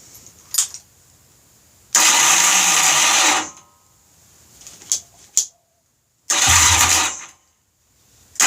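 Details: Honda bobber build, first start after engine was opened up, running the OEM carburetor after twin carbs failed: several short bursts as it catches and revs briefly between pauses, firing cleanly; normal startup, no oil leaks.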